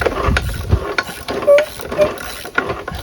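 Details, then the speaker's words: Briggs riding mower engine seized from running dry on oil, turned by hand while freeing it: slow, irregular clunks and ratcheting grinds about three a second, which the owner suspects is the cam and crank gears meshing. The mower frame shakes. "You can hear it like grinding inside the gears. I think it's probably the camshaft and the crankshaft gear probably meshing. That's what it sounds like."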